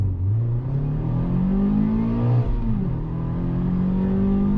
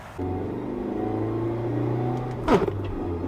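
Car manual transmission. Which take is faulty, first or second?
second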